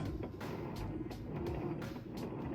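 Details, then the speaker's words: Like-new Kenmore HE washer on final test load, wash cycle: low soft churning rumble with regular water swishes about every half second; quiet, strong agitation, normal. "now you can hear one thing that's really nice about this it's nice and quiet"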